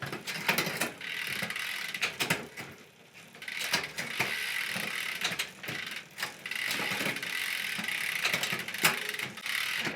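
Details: Mountain bike rear derailleur after cable tension adjustment (indexing): freewheel ticking with clean single clicks as the chain steps across the cogs, no chatter or hesitation. Shifting is properly indexed.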